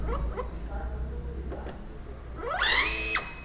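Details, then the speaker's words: Epson L121 printer at power-on: soft clicks then loud shrill half-second screech from inside, red indicator lights with power. "Jadi kasusnya printer ini ketika dinyalakan itu ada suara keras yang ada di dalam printer, suara nyaring ya, nyaring."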